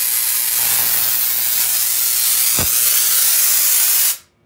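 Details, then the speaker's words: Tesla coil with a capacitor plate added on top, leaving it unbalanced and out of timing; the spark gap is set too close and screeches. A harsh, even spraying hiss, then an abrupt cutoff; untuned coil discharge. "so right now this is I believe up too close so you can hear it screeching over here at the spark gap"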